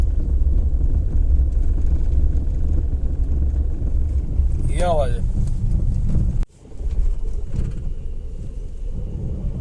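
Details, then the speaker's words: Maruti Suzuki Alto 800 creeping at low speed: heavy low rumble with loose, uneven rattling buzz and felt vibration underneath, persisting after all suspension work was done; cause not yet found. "ढर्र करके vibration सा feel होता है ना, वही आवाज है।"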